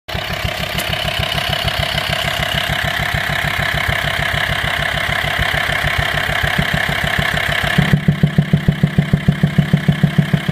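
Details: Volkswagen T5 2.5 TDI diesel idling with a deep steady knock, about three a second, from the air filter side, sometimes louder and sometimes quieter; caused by worn camshaft and tappets, both since replaced.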